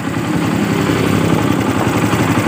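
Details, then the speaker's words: Yamaha Byson motorcycle that would not start on the starter, after replacing the starter brushes and substituting a Honda Supra bendix: the starter spins briskly and the engine catches into a steady idle, with voltage dipping only to about 11 V. Normal electric start. "Kita coba starter. Normal. Sekali lagi. Kita starter lagi."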